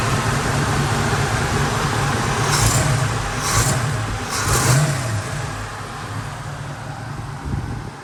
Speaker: pretty sure it has like the stock 289 camera i mean it does have a small lobe to it but you know